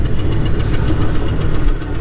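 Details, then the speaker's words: Old Chevy C10 moving under its own power for the first time since 1993: a steady, fast deep tap under the exhaust rumble, first thought to be a lifter but suspected to be a rod bearing, not confirmed. "all right we got some engine noise opra still going up and down you hear the tap I do I thought that was a lifter or something uh might be a little deeper than lifter it might be a rod"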